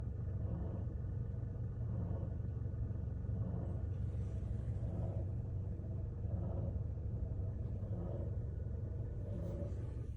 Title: Toyota Scion xD weird noise from A/C compressor